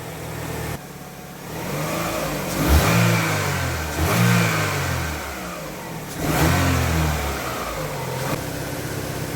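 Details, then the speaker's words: 2005 Chevy Aveo 1.6L E-Tech II after timing belt and water pump replacement: engine idles evenly and takes quick rev blips cleanly, no more rattling or noise, smooth as silk. Normal smooth idle and revving. "oh just as smooth as silk that's great"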